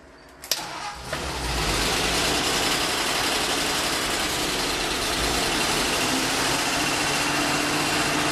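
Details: 1948 Ford F-5 truck, cold start after sitting unrun for over a year, on choke with the throttle pumped by hand: brief cranking, then it catches and settles into a steady, even idle with no knocks or misses; a good start.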